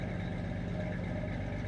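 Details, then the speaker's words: Engine idling after its cold-start fast idle ends, tailpipe scrubbing pads removed: steady quiet low idle with even pulses, no surging or misses; not too bad, whereas the first minute is really loud; normal warm idle. "This is what it sounds like when it's done with its cold start, fast idle. That's not too bad."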